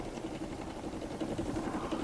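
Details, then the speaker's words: ANCEL BR2000 Elite one-person brake bleeder, first run purging air, pulse setting 1: quiet steady hum with soft even pulses a few times a second as it takes in brake fluid; working normally. "It's taking in the brake fluid. It's pulsing. My pulse is at 1."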